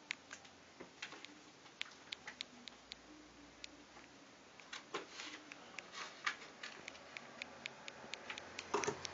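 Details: Samsung Galaxy Note home button gives sharp, light clicks in irregular runs when pressed, even lightly without activating it, in a quiet room.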